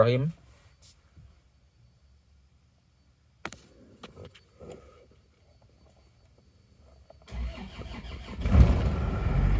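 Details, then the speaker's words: Isuzu Panther diesel with automatic transmission, suspected blow-by, thick exhaust, morning start: starter cranks a couple of seconds before engine slowly catches into a rough heavy rumble; slow hard start. "hidupnya tidak terlalu cepat nyangkutnya jadi agak nggak tegang ya"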